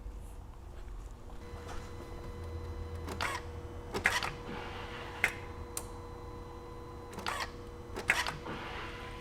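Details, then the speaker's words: 2004 VW Jetta TDI BEW diesel after fuel filter replacement (new lift pump fitted, old one weak, car cranked without starting): key cycled to prime and purge air, soft hum and low whir about a second with relay clicks; normal lift pump priming. "So I'm going to bump the key, see if we hear the pump run, see if we build pressure up. I'm going to do this a few times to try and purge the air out of the system."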